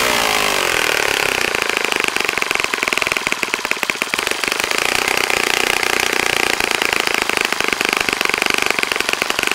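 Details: Saito FA-65 model four-stroke on its first run after rebuild, APC 12x6 prop, Morgan's Omega 10% fuel, Fox Miracle plug, heavily primed to start; high-pitched rapid buzzing exhaust climbs then holds steady at high revs without misses; normal running.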